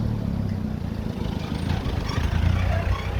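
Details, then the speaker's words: VW TSI CJZ engine after repair of a heavy rattling/knocking noise: deep even engine hum, no tapping or rattle, holding steady; idles smoothly, normal. "to the ground very low you'll see sounds very nice car came in for a service and a knocking noise initially"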